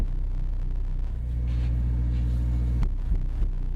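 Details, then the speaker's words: Pioneer GM-DX871 car amplifier on a 1-ohm dyno test bench: loud, steady low hum with a buzzy edge, a lot of noise in the line; cause not confirmed. "It's a horrible hum. There's a lot of noise in the line."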